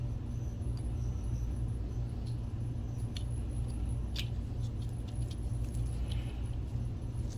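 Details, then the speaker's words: NEC NP-PE401H DLP projector, BFB0612H 12 V blower fan fitted with the good bearings after the old bearings proved noisy: soft steady low hum, no grinding, far quieter than before. "And that is so much quieter."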